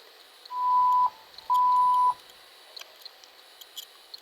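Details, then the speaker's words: PC BIOS POST beep code: two long, even high-pitched beeps about half a second each, then quiet; meaning is specific to the BIOS/motherboard maker and need not indicate a BIOS fault. "Yo acá les puse dos sonidos de la BIOS."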